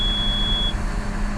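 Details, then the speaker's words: John Deere 6190R at startup: one steady high cab warning beep under a second over low idle, the fault alert recurring at every recent start, PTO system code PTF 186.15; dealer to be consulted. "Now, every time I've been starting up lately, it keeps coming up with this fault code."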